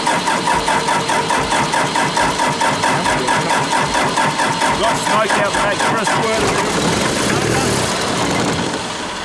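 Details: Daihatsu Scat 4x4 diesel barn find revived after 15 years, glow plugs possibly not working; uneven starter churning around two beats a second that never catches; cranks but won't start.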